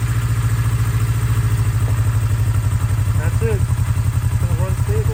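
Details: 1982 Kawasaki KZ305 twin, revived after 30+ years sitting with carbs synced, cold start after a few days, full choke; steady even low putter firing regularly, no misses or clatter — normal cold idle.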